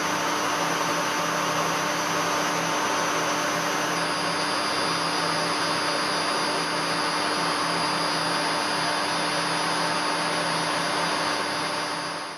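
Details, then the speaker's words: Three-phase motor of a combination woodworking machine run from single-phase 220V via a frequency drive: a steady high whistle over a smooth, even hum, the drive's normal IGBT switching carrier noise, left at its setting. "y esto también en teoría pues hace que funcionen de una manera algo más eficiente y que no se caliente tanto el variador de frecuencia. A mí en principio este ruido tampoco me molesta, así que lo voy a dejar así."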